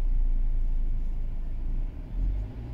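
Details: Mercedes E-Class coupe (207), M274 engine, 30,000 km, warmed up after timing chain repair, cam position activation done: deep, even engine rumble that eases briefly and picks back up, no knocks or rattles; healthy.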